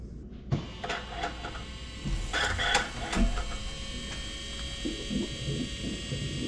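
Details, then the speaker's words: John Deere 6115M tractor, key on after fuel filter change: steady high electric lift pump hum with light clicks as it fills the new filter and purges air; normal fuel lift pump priming. "you can hear it filling it up I can still hear it running at least it sounds that way"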